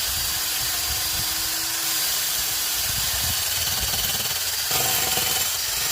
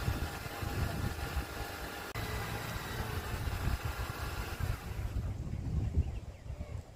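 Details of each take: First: 2006 Honda Accord idling, a strong airy hiss over a weak, uneven low rumble from a bad leak in the rusty exhaust, before it was cleaned and patched with a flux-core MIG welder. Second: 2006 Honda Accord after MIG-welding a badly leaking rusty exhaust: low, steady idle with no puffing or ticking from the pipes; exhaust sounds sealed. Normal idle after repair.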